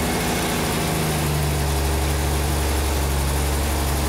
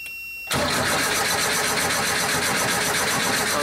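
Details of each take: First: 47-year-old Porsche 914 with early fuel injection, after no-start diagnosis with cylinder head temperature sensor connected and working: steady, even idle, smooth low drone, no misses or knocks; normal idle. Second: 47-year-old Porsche 914 with early fuel injection, after injector flow and spray tests passed, while checking computer inputs: steady fast cranking whir, engine never catches; cranks but no start.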